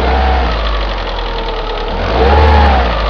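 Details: Opel Astra G X16XEL, cold start, idling then blipped at low revs: light fast tick on the engine's right side that speeds up with revs; mechanics suspect valve lifter wear; cambelt tensioner roller suspected for a separate left-side noise.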